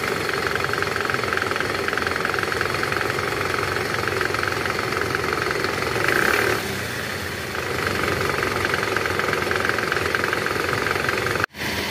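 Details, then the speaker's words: Toyota Camry 2AZ engine, shifted into R and revved: rough, clattery idle with an uneven knock that swells on a throttle blip, caused by a loose, worn balancer shaft, which was replaced without removing the engine. "Jadi, penyebab suara kasar tadi memang karena balancer yang longgar."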